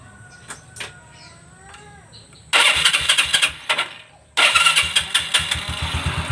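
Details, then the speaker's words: Yamaha Xeon carbureted scooter after full CVT service, replacing a cracked, grease- and oil-contaminated drive belt that caused sluggish, surging pickup: catches, briefly stumbles, restarts, then settles into an even putter; normal start and idle. "Oke, motor sudah hidup ya. Sudah normal guys ya, bagus ya."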